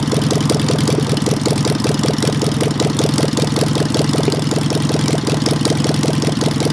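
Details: Petrol engine with a Solex 30 PICT carb, after fixing a stuck pump ball valve and refitting the original needle valve in place of the wrong kit one that flooded it: idle around 158 pulses per minute, uneven with skips and lumpy gaps. Misfiring, possibly partly valve trouble; a knock is uncertain.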